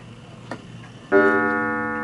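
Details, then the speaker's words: 1940s Hermle (FHS) 8-day Art Deco chiming clock set to 5:00: faint ticking, then a clear bell-like half-hour strike that fades evenly, showing a healthy chime. "first of all you need to hear the chiming so let's put it to the 5:00 perfect and then what we'll do is listen to the half"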